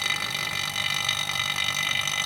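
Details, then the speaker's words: Vacuum pump evacuating a Polytron refrigerator after repairing a puncture leak, before refrigerant recharge; steady bubbly, gurgling rasp with hissing top end while still pulling the system down, its sound changing once vacuum is reached; normal evacuation. "Oke teman-teman sudah Vakum ya terdengar dari suara bunyi mesin vakum ini teman-teman karena kita bisa membedakannya antar lebih sebelum vakum dengan yang udah vakumnya beda suaranya"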